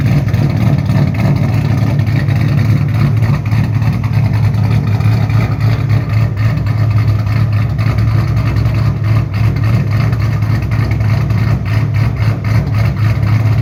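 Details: 2007 Shelby GT500 supercharged V8 with newly installed L&M NSR camshafts, Venomous Tuning tune: deep, choppy lumpy idle with sharp rev blips rising and falling cleanly, no knocks or rattles. Normal cammed idle and revs.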